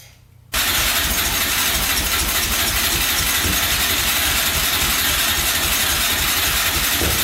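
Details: 2004 Yamaha Raptor 660 quad, rough condition, fresh oil, gas poured down the carburetor, choke pulled by hand: steady unbroken starter churn, no firing; cranks but won't start.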